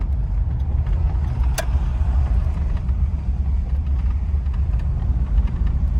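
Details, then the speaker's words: 1950 Packard Eight Touring Sedan, 138 hp flathead straight-eight, Ultramatic, 30,356 miles, restored, after driving about 60 mph: low, even hum with no knocks, ticks or whine; smooth, quiet normal running. "but you can hear the motor is just humming it's just a super super smooth quiet running and driving car"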